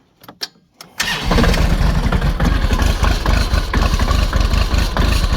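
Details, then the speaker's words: Tractor cold start at 0°F with glow plug setting, ISO 32 hydraulic oil: weak cranking puffs, then catches and runs rough and ragged, hydraulic pump whining; hard cold start, needs half-hour warm-up. "Fire up, it really doesn't like zero."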